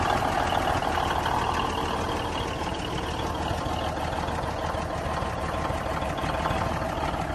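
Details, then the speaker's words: 1971 Peterbilt 352 diesel, first run on fresh fuel via new line and filter with jump pack: steady big-diesel idle with an occasional uneven beat, a slight miss, cause unknown; turbo working, throttle touchy. "It sounds like it's got a little bit of a mist, but at least I know that the engine's running, or it will run."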